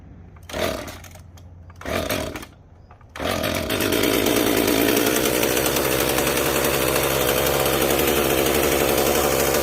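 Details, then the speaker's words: Fully stock Jonsered 2055 chainsaw with no muffler mod: two pulls, then a steady but muffled, flat, oddly quiet run lacking crackle. Owner suspects mud dobbers or bees have clogged the muffler, or possibly the intake. "oh and this one is 100 stock and uh no Muffler mod or anything oh it sounds weird too it it's like the muffler is completely clogged Maybe"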